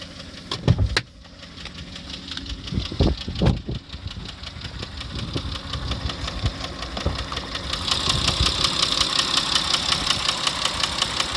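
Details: Running engine with a sharp repeated tapping knock over the idle, quickening as revs pick up toward the end; engine knock, source not pinned down.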